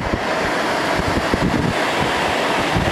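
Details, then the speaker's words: 1988 Fedders Cool Tote Slim 5000 BTU air conditioner, fan on high: strong, steady rushing airflow holding an even roar, no rattles or rubbing; really strong, healthy blower. "There's high. Wow, it's really got a strong fan. Really strong fan."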